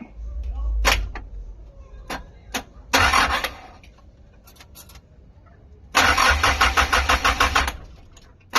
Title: Stock Up Car Engine So it Won't Start#stockup #engine #car #shortvideo